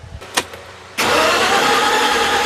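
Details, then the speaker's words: 1965 Ford Galaxie after cam and lifter replacement, charger hooked up and oil pressure up: starter spins fast and evenly but it never fires, possible carb backfire; owner suspects poor compression, fuel seems present; crank no start. "Man, that does not sound like we got good compression. I cannot remember how that was before."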